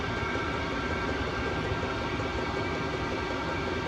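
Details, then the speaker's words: Vevor Chinese diesel heater after cleaning, exhaust pipe warm, burning off dust: smooth even roar of burner and fan, no popping, surging or misfire; clean steady running. "Well, I think we've got her clean. I think we got her running good."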